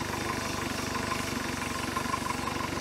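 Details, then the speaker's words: 1973 Larson boat, Mercruiser 120hp 2.5L, warm with choke fully open, alternator about 15.25 volts, coolant working properly: smooth, even idle with a regular quick beat, no knocks, misses or hunting. "there she is straight up and down running like a beast"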